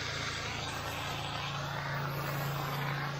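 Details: Honda IGX800 pressure-washer engine after replacing failing ignition coils with resistor-modified coils to cure bogging under load: steady drone at constant pitch under washing load, no bogging or stumble; ran 30-40 minutes without problem, fixed.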